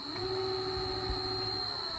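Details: Electric scooter hub motor spinning after the cover (hood) was opened and reinstalled to cure a rubbing noise, magnet left in place; smooth, steady constant-pitch electric whine with no scraping or rubbing; spins freely, healthy.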